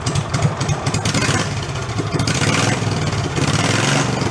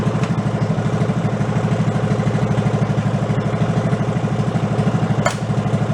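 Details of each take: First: Amusement-park go-kart with its 5 hp engine replaced by a 16 hp engine, muffler removed, a little choke: loud unmuffled bark, ragged at first, then a steady, even run; healthy. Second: Go-kart fitted with a 16hp engine replacing a 5hp, warming up after carburetor fuel troubles; idle set too low gives a slow lumpy idle with a regular clack as the decompression valve kicks in; raise the idle rpm.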